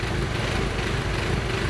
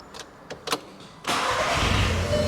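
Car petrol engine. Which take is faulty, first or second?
first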